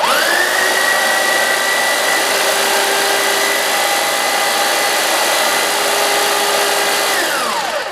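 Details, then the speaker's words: Hyper Tough electric hedge trimmer after straightening bent tines that caused binding and metal-on-metal contact: even steady motor buzz, light quick rhythmic blade chatter, no metal clatter; runs smoothly. "how you want the tremor to sound you just there just barely grazing across each time there to give you kind of the the perfect cut so to speak on your bushes"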